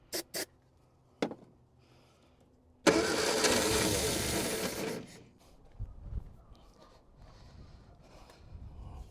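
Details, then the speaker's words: 1960 Triumph Herald dormant 42 years: a couple of clicks, then about two seconds of starter churning and it never fires; cranks, no start; owner realises his own mistake explains the no-start and the fuel leak. "Yeah, it ain't gonna start in a million years, and that's what my fuel leak is."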